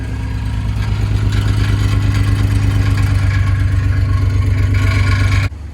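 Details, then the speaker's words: Infiniti G35 at first startup after a five-month rebuild: engine revving hard with a loose, uneven metallic clatter over the low drone. A known exhaust rattle that still needs fixing. "That rattle sound really bad, but that's it."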